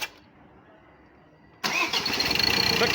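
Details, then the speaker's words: Ford Ranger 2.2 TDCi diesel after rebuild with all four injectors repaired, coolant filled, restart: starts on the first key turn, settling into even, steady idle clatter with no smoke; normal diesel start. "በአንድ ቁልፍ ነው ብድግ ያለው። በጣም አሪፍ ነው።"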